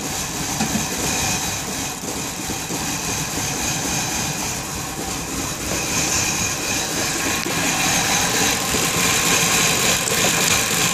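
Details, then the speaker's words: 1994 BMW E31 840Ci V8 with a crank-no-start problem after stalling on the street finally starts and idles roughly with an uneven, stumbling beat: a severe misfire of unknown cause. "So it actually started this time, that's a first, but it sounds like it's misfiring really bad."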